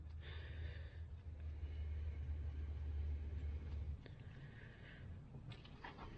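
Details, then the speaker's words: 2013 VW Tiguan 2.0T towed in with no start: cranking with a compression gauge in a spark plug hole, starter spins fast and even with no compression pulses; 50 psi the first time, nothing after. Timing marks were right but intake cam not being turned by cam gear/actuator. "Well, why didn't it build any that time? Well, that's not a good sign. It built 50 pounds of pressure the first time, nothing after that."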